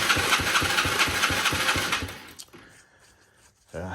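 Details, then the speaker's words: 70cc ATV with choke on: steady rapid cranking, about four thumps a second, for two seconds, never catches; crank no start; spark confirmed, owner suspects no fuel supply. "has spark I already checked that seems like it's not getting gas which is not a good thing"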